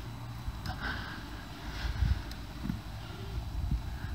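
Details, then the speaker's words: Clutch pedal pressed and released with only soft low thumps and no creak, after the pedal shaft was greased with multi-purpose grease; white grease had failed before. The slave cylinder boot was also greased. Durability is still being monitored. "noise is gone again we'll just monitor that for a few days just to see whether or not that's a long lasting repair"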